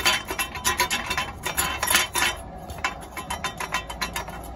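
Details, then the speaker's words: Van driven under throttle: tinny, uneven clinking rattle in bursts over faint engine hum, first suspected transmission; cause is a broken, loose small piece of metal shaking when gas is applied, owner plans to clamp it. "when I drive it and give it gas I hear like a noise and I would started with my transmission or something but it's this little piece of metal there it's broken"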